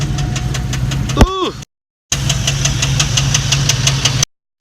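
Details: Turbo V8 street truck with a BTR Stage 2 truck cam at about 5,000 miles, idling with a heavy, regular knock of about four to five per second. A morning tick worsened over a day of towing with fading oil pressure; owner is nearly certain of bottom-end rod damage.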